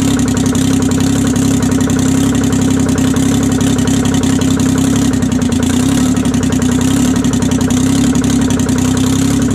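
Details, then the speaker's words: 1968 Detroit 3-53T three-cylinder diesel, first cold start after total overhaul, engine 4.5°C/40°F, outside -3°C: steady, even idle with a strong, clean drone, no knocks or misses; normal idle. "she runs pretty good guys well uh she runs good"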